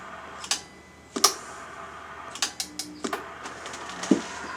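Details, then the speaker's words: Midland Alan K1313 single-tube CB amplifier (RM Italy KLV200/V) during dead-key power test after warm-up: sharp, uneven clicks, about eight in under five seconds, over a quiet hum; intermittent clicking, suspected relay chatter, unconfirmed. "was that the relay clicking?"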